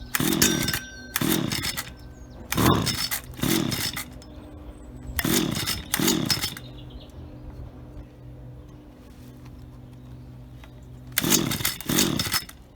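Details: Auction-bought Stihl HT75 pole saw two-stroke, head cleaned, test run: quick pairs of sharp revs dropping cleanly back to steady idle; runs smooth and works perfectly, normal.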